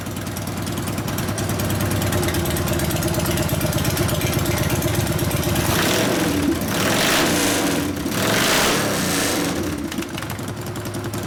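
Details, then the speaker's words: 1999 Harley 80ci Evo, rigid frame, first start after rewiring and repairs: uneven, loping V-twin idle that stumbles and needs throttle blips to stay running. Lean idle mixture; mixture screw at 2.5 turns out, bigger low-speed jet needed, accelerator pump suspected dead. "Doesn't want to idle, does it? I'm thinking more fuel."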